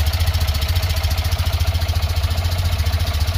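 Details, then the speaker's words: Tata Nano CNG that stalls after starting, idling with oxygen sensor connector unplugged; idle lopes in a steady pulse, about 3.5 beats a second, mild misfire but less than before; O2 sensor judged faulty. "और coupler निकालने की वजह से थोड़ा मतलब गाड़ी एक miss firing कर रही है। लेकिन जैसा गाड़ी पहले कर रही थी वैसा गाड़ी पहले जैसा नहीं कर रही है।"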